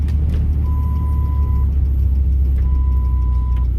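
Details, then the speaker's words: Ford Super Duty V10 pickup: two clean one-second beeps at a steady high pitch over a low engine drone, an intermittent warning chime the owner suspects is airbag-related, since it beeps only when the airbag light is off; an earlier fix didn't cure it. "So I think it might be related to the airbag light, because whenever the airbag light is on, it doesn't beep. Whenever the airbag light is off, it beeps."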